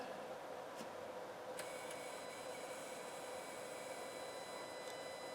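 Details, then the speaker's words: Sony TA-535 integrated amplifier on the bench during repair: steady hiss, then thin high whistling screech after a click, from the spring reverb unit (two transducers and a spring); volume pot also scratchy. "that screeching? That's from the reverb unit. It's got a spring in there. 2 transducers and a spring."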